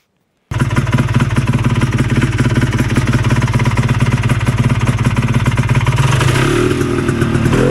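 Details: Vintage single-cylinder Polaris race snowmobile after engine rebuild incl. crank bearings, re-jetted pilot and main, fresher gas: two-stroke popping along with steady crisp beat, picking up cleanly on throttle; normal running.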